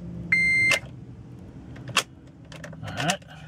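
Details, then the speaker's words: Element turned on with the key: a steady half-second dash beep and a few key clicks, then silence with no starter whir. A no-crank condition; the owner suspects the starter or neutral safety switch, and the battery is weakening. "try again nothing does absolutely nothing so I don't know if it is the starter the neutral safety switch"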